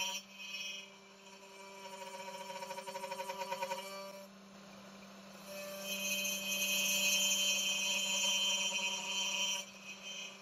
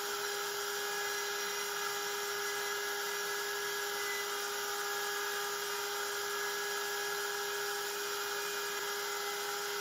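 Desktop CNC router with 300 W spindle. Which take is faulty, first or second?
first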